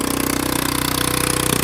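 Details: Honda Ruckus with a fabricated rear frame on its first test ride: quick, even putter at a raised idle with no dip, high enough that the scooter creeps and the brake must be held; high idle.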